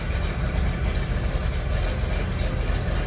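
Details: Jeep CJ7 idling after an ignition fault involving the blue ignition wire up the steering column was fixed; the fault had left the starter solenoid without power. Deep, smooth, steady low rumble with no knocks or misses; running normally.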